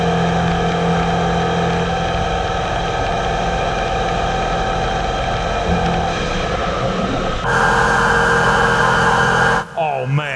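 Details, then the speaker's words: Heller CP 6000 CNC roughing a ductile iron pump housing bore with a Kennametal Harvi 1TE end mill at 30% radial step-over; the heavy cut holds an even pitch over a steady spindle hum with no squeal or chatter, a stable cut. "listen to that cut it's beautiful"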